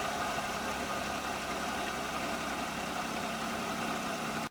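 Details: Maruti 800 petrol engine that randomly misfired once warm after 30–40 km, after new spark plugs: idling steadily and evenly with no stumble, the vibration now gone.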